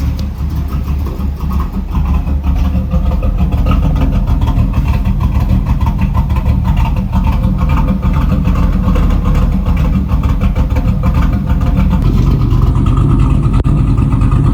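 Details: 1989 Camaro V8, first start in 13 years after Edelbrock carburetor rebuild and ultrasonic cleaning: deep, steady rumble, throttle blips pick up cleanly and settle back; running healthy.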